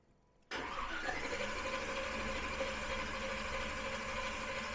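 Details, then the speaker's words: Big-block V8 during Killshot II EFI throttle-body install, before first start, battery freshly charged: brisk, even cranking without firing, with a large voltage drop from the high-amperage starter; normal, healthy cranking. "well one thing is it's cranking really good we charged the battery up earlier but yeah this uh this starter pulls some amperage you Noti the huge voltage drop on the starting"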